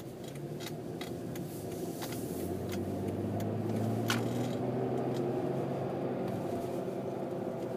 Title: W163 whining noise